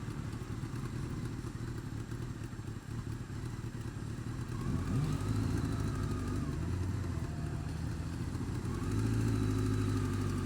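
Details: Honda Fireblade engine with a light quick tick that climbs with revs, worse when cold, quieter but persisting when warm; source of the tick unknown.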